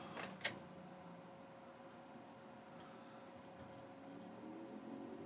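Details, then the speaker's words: Second-hand 1TB 7,200 RPM SATA mechanical drive in a MUSE Receptor, set to IDE mode, booting from a clone of the original Seagate 250GB Barracuda. Faint steady spin whine with soft seek clicks; the drive spins up and reads normally. "hear the drive making noises oh you beauty i do not believe this that has booted from the sata drive"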